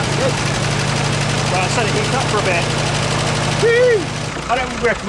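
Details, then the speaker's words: Early-1942 WW2 Ford jeep barn find, first start with no work done on the engine: low, even idle drone, no knocking, before mixture adjustment; reasonably good idle. "because it's we haven't done anything to this engine yet i think this is about a good sort of idle"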